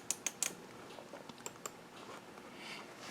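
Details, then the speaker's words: Husqvarna AutoTune chainsaw on CST diagnostics: sharp light ticks in uneven bunches over quiet background, the solenoid-operated fuel valve opening and closing through its normal cycle. "there's a period of time it opens and closes opens and closes opens and closes and if it stays open for a longer period of time then it stays closed the numbers go low because it's measuring how long that little valve stays closed"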